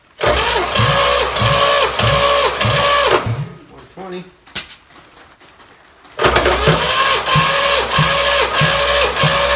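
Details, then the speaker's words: 283 V8 running on the shop floor after priming, compression about 110–120, plugs slightly black from rich fuel. It fires quickly and settles into a smooth, even idle, then restarts cleanly: normal start and idle. "this this sounds real good it's smooth as can be I mean it idles beautifully"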